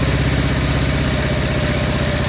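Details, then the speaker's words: Honda Deauville V-twin motorcycle after carb clean, warming up, choke possibly excessive: slow, lumpy tick-over with steady low beats, not overly unhappy; idle speed low and needs raising. "It doesn't seem overly unhappy. The idle's low, but that'll be kicking about somewhere."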